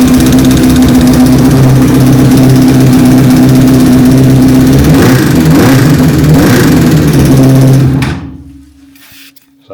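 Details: 2007 Honda CBR1000RR Fireblade started with jump pack: idles with a busy, clattery rattle about two beats a second, then shuts off; undiagnosed noise, owner suspects cam chain tensioner or worse.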